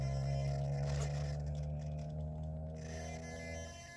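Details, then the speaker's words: Traxxas TRX6 RC crawler, fast and powerful front steering servo: steady low electric hum whenever the steering is under pressure against resistance, then eases off; the servo is straining under load. "anytime it gets pressure put on it it makes a humming hear it I mean it's a super powerful fast servo"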